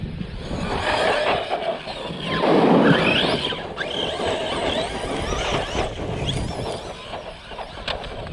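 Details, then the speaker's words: New Team Corally Kronos XTR 6s 2022 RC car, first run: a high whine rises and falls with throttle, squealing on hard acceleration over tyre noise; owner suspects the pinion gear, which was Loctited from the Dementor and not rechecked, and expects the motor is warm. "Almost sounds like there's something going on with the pinion gear already."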